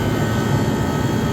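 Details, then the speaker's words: Vintage Comfort-Aire (QM) room air conditioner running on cool, blower freshly cleaned: steady even low hum with smooth fan rush, no knocks or rattles; compressor and fan motor running healthy. "that is a very happy T comea ah compressor B motor is running just fine"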